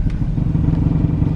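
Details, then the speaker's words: 1987 Chevy square body truck that runs but not quite right, prepped for a 500-mile trip with a tune-up: low, lumpy V8 idle with faint uneven puffing and rattle underneath; owner thinks the exhaust is making some noise, not confirmed. "Yeah, it sounds like maybe the exhaust is making a little bit of noise. I'll have to tweak that before I hit the road back up so we don't hit the wife's car."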